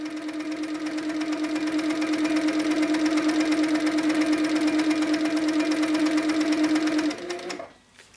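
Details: HQ Sweet Sixteen sewing after top tension was tightened two full turns: even, steady hum with quick regular stitch beat, roughly three a second, no clatter or snag; stitching normally, though tiny pink dots still show on the back.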